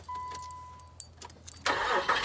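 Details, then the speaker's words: 2002 Nissan Frontier with an intermittent one-click no-start: a brief whirr of cranking, then the engine catches at about 1.5 seconds and runs on; a clean, normal crank and start. "see it's working but what i'm worried about is i'll get somewhere and sure enough he'll do it and then one time it's not going to work"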